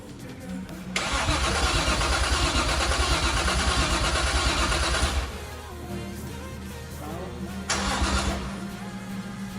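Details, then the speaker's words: Nissan R33 Skyline project after fitting a Walbro 400 LPH fuel pump: starter churns steadily about three beats a second for about four seconds, never catches; fuel and pump confirmed working, spark to be tested next, cause unconfirmed. "we have fuel the pump is working we have crank as you can hear so now we're going to test spark"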